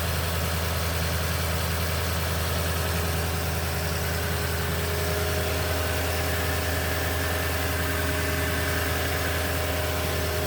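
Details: 2010 Toyota Tundra, 165k miles, 5,500-mile oil changes: cold start idle with an even drone and a steady busy metallic clatter layered on top; suspected timing chain noise, unconfirmed.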